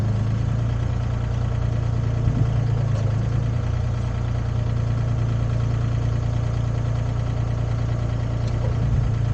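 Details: Used Komatsu PC10-3 mini excavator (hydraulic controls, thumb), hood down, running at low idle, just enough to keep the battery charged: low, even diesel rumble with no knocks, misses or rattles; normal low idle.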